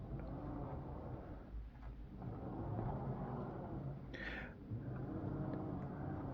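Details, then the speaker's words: Budget R2 droid build, 12-inch lazy Susan dome bearing turned by hand: only a low uneven drone from the motor being forced round, no clicking or clunking; bearing quiet and smooth. "very quiet in fact that noise you're hearing is the motor being forced in there"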